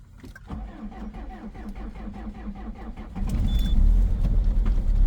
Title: COLD START diesel at -15,1°C with a very strong knocking sound, egr off 2.0 hdi #rybin